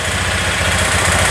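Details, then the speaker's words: Honda Vario 150 scooter with no-start fault traced to melted aftermarket ACG socket to ECU: with battery disconnected, engine still runs at steady, even idle with smooth low pulse; normal running. "Nah, kalau misalkan motor normal itu kayak gini, walaupun tanpa aki dia tetap hidup, itu tandanya motor normal, gak ada kendala ya."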